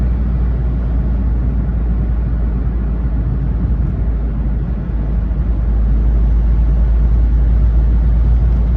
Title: Smart Fortwo noise when accelerating.